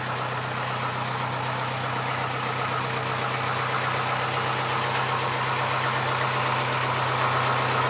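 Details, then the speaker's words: Massey Ferguson 35 (835) tractor with Standard 23C diesel, first run in at least a year: steady, even idle at about four beats a second with no knocks. It runs well with some blow-by expected for its age; the owner suspects a coolant leak from a hose clamp. "so it runs runs pretty well there is a bit of blow-by can be expected of engine of this age"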